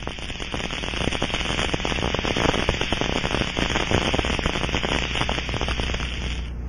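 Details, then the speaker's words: Aircraft fuel cell leak test with an Ultraprobe 2000 ultrasound detector, tank drained and pressurized to 2–5 PSI with air or nitrogen: irregular crackle over a steady hiss, residual fuel being forced out through the leak hole. "we then scan following the rushing sound in certain cases you may hear a crackling sound from residual fuel in the tank as it is forced through the leak hole"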